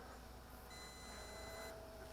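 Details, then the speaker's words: MJX Bugs 20 EIS GPS drone in flight: one long, high beep over outdoor hiss, the critical low-battery warning. The drone must come down and will auto-land within 100 m of the takeoff point. "The long beeps means I don't got any more battery power to fly anymore. I got to come down and land, and it will land itself again wherever it's at within that 100-meter circle from your takeoff position."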